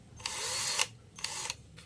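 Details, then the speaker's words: Electric drill that used to spin and then stop, after a part was replaced and soldered in and tested before reassembly: crisp high whir in three short bursts, spinning up cleanly and holding speed. It now runs normally. "หว่านหมุนเนาะกลับฝั่งโอเคเพื่อนๆใช้งานปกตินะครับ"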